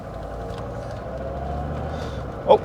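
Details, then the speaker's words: Mercedes-Benz S123 300TD turbodiesel automatic, vacuum modulator newly reconnected: diesel pulling gently at low revs, then abrupt thump as it upshifts early and hard, like dumping the clutch; harsh early upshift it didn't do before. "yeah that was a gear change quite low in the ri range and quite hard and there the next one it didn't shift like this before that's for sure this this is a very quick gear change but not very pleasant"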